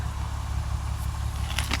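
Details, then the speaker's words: Six-cylinder Mercedes-Benz that was running on five cylinders and smoking, after an ignition coil replacement: low, even idle rumble with no misfire stumble and one brief crackle; now running on all six, normal idle. "Running much better."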